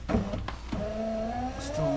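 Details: 2005 Jeep Liberty KJ front passenger window just after a new regulator was installed; the motor hums steadily but drags and rises in pitch near the bottom, where it runs slow, so the regulator is binding.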